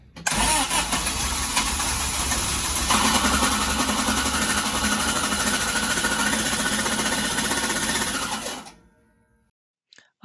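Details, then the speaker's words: Sunbeam Alpine with a new WOSP high-torque starter: harsh metallic grinding while cranking from a fitment issue, not wiring; pinion not meshing properly with the flywheel, fixed with a 3 mm spacer. "I went from this sound to this grinding sound."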